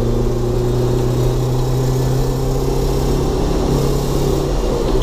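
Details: 2005 Jeep Wrangler TJ 2.4, climbing a hill at high revs: faint high-pitched ticking/fast-knocking rattle like marbles in a can over steady drone, only above 3,500 RPM past 3/4 throttle; no codes, new timing belt, no change; owner suspects dual-mass flywheel, clutch or exhaust manifold leak.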